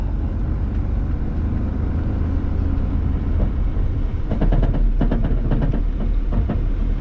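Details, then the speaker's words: Large Chevy pickup driven a short way while leaking brake fluid: a heavy, uneven low rumble with irregular thumps and bursts. The engine is running rough, cause not yet found. "Yeah, that sounds terrible."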